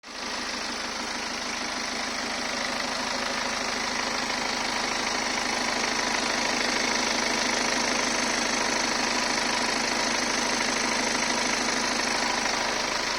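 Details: 2015 BMW 520d, 140 kW B47 diesel, 220,000 km, oil service every 30,000 km: steady idle with fast, fairly even light ticking about twice a second over the clatter; owner suspects timing chain noise.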